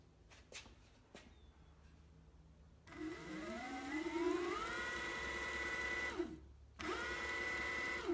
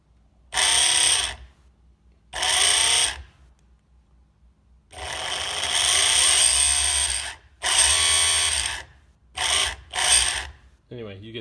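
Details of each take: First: Evolve One electric skateboard after replacing the failed motor with a new one, belt tension about right: clean whine sweeps smoothly to a steady high pitch, spins down and back up with no grind or clatter; normal motor run. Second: Evolve One electric skateboard, motor failed after a couple of months of riding: harsh, gritty whir in short bursts under power instead of a clean hum; motor grinding on something, failing, to be replaced.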